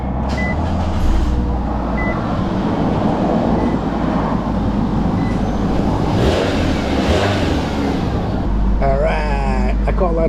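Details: Exhaust just repaired, reusing old springs, checked for leaks after startup before warming pipes to burn off oil: steady, even idle with smooth low rumble, no puffing or ticking; exhaust sounds sealed, normal idle.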